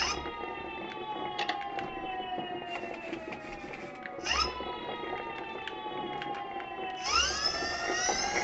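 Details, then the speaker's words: Electric motor after maintenance with bearings and seals replaced, run in reverse and then forward at rising speed levels: smooth whine stepping up in pitch, no grinding or rumble. Motor runs clean and normal. "motor funcionando perfectamente no hay ruido extraño es el ruido limpio de él"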